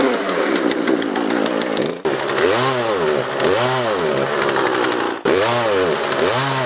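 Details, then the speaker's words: Poulan 3818 38cc chainsaw with an 18-inch bar, starting easily on full choke: rises toward full throttle, then pitch sags and surges back instead of holding, worse cutting into a log; carburetor out of adjustment causing bogging at high revs. "if I put the choke full it starts right away the problem with this saw is that top end"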